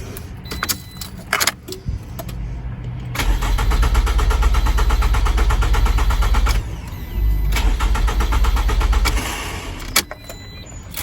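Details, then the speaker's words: 2009 Pontiac Vibe that died on the highway, tried again after bending a loose connector terminal back. Two cranks of about three seconds each with an even starter rhythm and no catch; crank-no-start, no fuel pressure suspected from a failed fuel pump. "Nope. So I don't think we have any fuel pressure."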